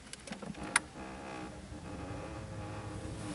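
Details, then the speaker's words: 2004 Ford Freestar after blower motor (squirrel cage) replacement for a loud blower noise and no heat, at key-on: light clicks, then soft small-motor whirring that settles as the blend door actuators move and home normally; fan sounds good. "right now you're hearing all the blend doors move let them all settle in fan sounds pretty good so far"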